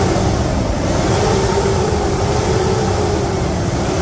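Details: 2017 Nissan Frontier 2.3 diesel after steering box, suspension and brake work: steady, even idle with smooth drone, no ticking, knocking or wobble; sounds healthy.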